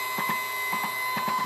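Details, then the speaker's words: CNC Z-axis stepper motor, driver set 4.2 A, 48 V supply, speed lowered to 10%: thin high whine broken by paired clacks several times a second, motor jerking and catching instead of turning smoothly, even held in hand. "mais il fait toujours un petit bruit de blocage comme ça, on dirait qu'il se bloque. Vous entendez les petits clac-clac?"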